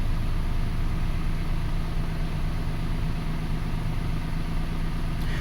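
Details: 2005 Toyota Passo with an intermittent no-start (dies, then restarts next day), idling after a good coil ground was restored to battery negative; steady low hum, even firing, no stumble or miss; normal idle.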